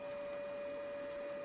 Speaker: Si sente una sorta di ronzio interno; forse l'unità disco è danneggiata.